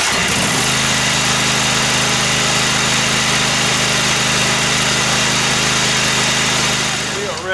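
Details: Craftsman riding lawnmower, started after a tune-up (oil, air filter and spark plug change) and after removing a chicken bone that had caused the problem: it catches within half a second into a steady, even drone with no misses; normal running.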